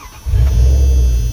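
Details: 1997 Dodge Ram that had high idle near 2000 rpm, linked by the owner to a corroded positive battery terminal: brief steady low rumble settling into an even idle without racing or surging; currently idling normally.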